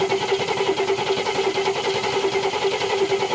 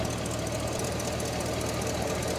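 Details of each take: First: 1969 Cadillac Eldorado V8 with 21,000 original miles, sat about 20 years: starter churns at an even slow beat with a new fuel filter and the factory mechanical pump, never catching; the pump is not delivering fuel. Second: 1969 Cadillac Eldorado, 21,000 original miles, running after sitting about 20 years in storage: even, steady idle with no misfire or surging; charging at 13.2–13.3 V, no leaks seen; running normally.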